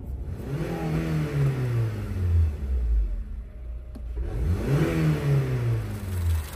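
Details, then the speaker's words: 2007 Honda Civic after new OEM ignition coils (old plugs kept) to fix misfire codes P0300–P0304: engine pulls up cleanly through two accelerations, strong and smooth, no stumble or shake; excellent power, though check engine light returned. Normal acceleration. "it's I had excellent acceleration and power and the check engine light is back"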